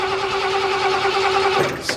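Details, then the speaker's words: Camper engine after exhaust manifold job, sat about two months, on 12 V jump start, before using starting fluid: steady starter whir about a second and a half without catching, fuel smelt, almost fires; crank, no start. "go smell some fuel come on come on fire girl so close she's trying"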